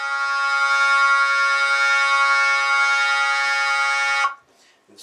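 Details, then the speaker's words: Jensen V21 Leslie upper horn driver, 122 amplifier fed by a 1963 Hammond B3 holding one note: harsh raspy buzz on the tone, clearing somewhat on higher notes, from a misaligned compression driver diaphragm to be reset. "because what i want is i i hear the buzzing so i want to get rid of that buzzing"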